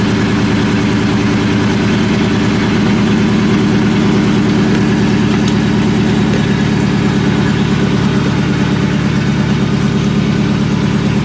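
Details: Supercharged New Edge Mustang GT (Vortech V1 Ti-Trim, 2.87 pulley, BBK 78mm throttle body), first startup after shop work and tune: rough loping idle stumbling about three times a second over supercharger drone, single-cylinder misfire.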